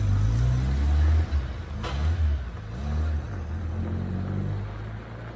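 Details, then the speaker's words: 1998 Citroën Saxo limited edition, long laid up, running with no smoke: a steady low engine rumble with a light rev blip, even and unbroken. It drives, the gearbox feels good and the engine sounds sweet. "now the thing is well it drives the gearbox feels good uh the engine sounds sweet"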